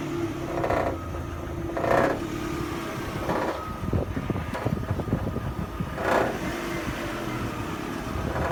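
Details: Astra H Mk5 1.8 SRi running with uneven bursts of rattle every second or two over exhaust; source unknown despite gearbox, front exhaust and back box replaced and full service.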